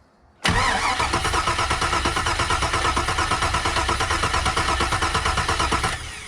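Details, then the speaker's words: Compression test with coils disconnected and throttle held wide open: steady, even cranking at about three beats a second with no firing. Cylinder 4, the worst misfire at idle, reads over 150, which is plenty of compression. "Oh, over 150. Okay, that's good. That's plenty of compression."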